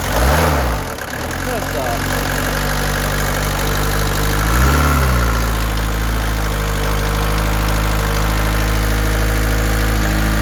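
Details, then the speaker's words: Peugeot 205 diesel started after sitting unused a long time, with a new battery fitted, oil and coolant checked; it needed a little revving to start. Even, steady diesel clatter at idle with two short throttle blips, settling smoothly: a normal, healthy diesel idle. "that's what a diesel sounds like right what the owner had to do there was rev it a little bit to get it started"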